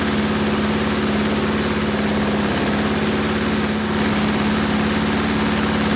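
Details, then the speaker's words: Briggs & Stratton 5-6 hp flat-head lawnmower engine running steady but slow at about 2160 rpm measured by tachometer, well under mowing speed; governed speed set too low. "okay so it was 2160 i just wanted to show you that and now we're going to twist that thing forward"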